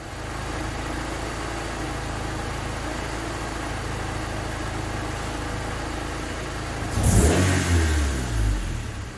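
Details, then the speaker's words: D16Y8 petrol engine, retimed to 16 degrees on a P28 ECU, idling after a new DNA Motoring header replaced the cracked exhaust manifold: steady even idle and clean throttle blip, no puffing or ticking; cat-to-downpipe leak retightened, no more exhaust leak. "So as you can see, there is no more exhaust leak. The initial fire up, there was actually an exhaust leak."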